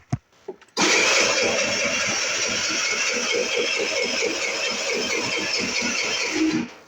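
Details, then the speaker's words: 50cc Wildfire R8 scooter, battery already replaced, cold start; starter churns steadily at about four to five pulses a second for nearly six seconds without catching; won't start cold, though it starts easily once warmed after a couple of miles. "I got this 50cc Wildfire R8 not starting in the cold. When she does start, if I drive her for a couple miles, she kick starts right up. But in the beginning, this is exactly what I deal with every day."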